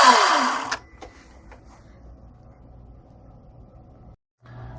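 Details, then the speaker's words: Echo 58V chainsaw on a CBP-58V40 Li-Ion pack that self-discharged over months, charged externally to a full 57.6 V: saw spins up hard under a second then cuts out and winds down; pack protection lockout, cleared by momentarily pulling the processor reset pin low. "I'm going to start it up. And you can see it just runs for a second and stops."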